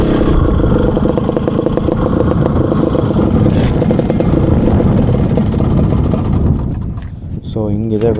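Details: Yamaha RX two-stroke motorcycle with a new expansion chamber, VR150 26 mm carburettor, gearbox matching, and rebore: crisp, rapid exhaust crackle holding revs strongly, then dropping back toward idle; engine and chamber sound healthy.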